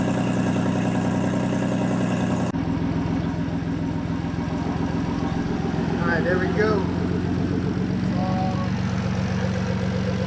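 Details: Swapped 3.7 V6 Mustang with a big single turbo, cold idle after the fabricated exhaust repair: a steady even idle with a brief spool whistle and no exhaust ticking.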